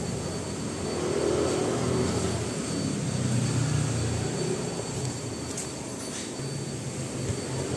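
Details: Toyota Revo petrol, about 14 years old, while driving: low wavering drone under road noise from a badly worn wheel bearing with a wobbling wheel; hub and bearing to be replaced.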